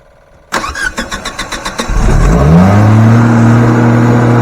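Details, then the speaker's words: Natural gas generator converted to gasoline, run from 5-gallon can, sitting on a pallet, fuel pump on and a little choke: a few cranking pulses, catches and settles into steady even low hum; normal start and idle. "It probably won't be as quiet as what you think because it's sitting on a pallet and there'll be a lot of noise coming out underneath of it, but it's got to quiet it down a little bit anyhow."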